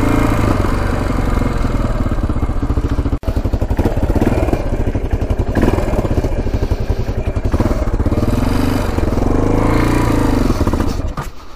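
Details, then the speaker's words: Roughly 1980 Yamaha XT500 single, sat over 20 years, on a test ride: heavy thumping rises briefly then flattens and bogs. It won't rev out; owner suspects air restriction. "first ride uh wasn't the greatest in the world um it just wouldn't rev out i ended up taking off the pipe it didn't help i ended up taking off the air filter didn't help"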